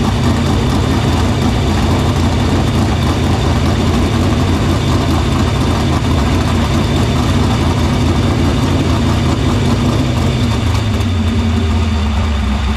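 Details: Dirt Silver Crown race car fired in the shop after cleaning the fuel filter and lines to the pump and barrel valve; loud, deep, steady engine note for over ten seconds, easing slightly at the end, no misfire; fuel system checked out good.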